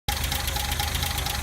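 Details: 1978 Datsun 280Z petrol engine at idle: lumpy, pulsing beat from a misfire caused by a worn, sloppy valvetrain.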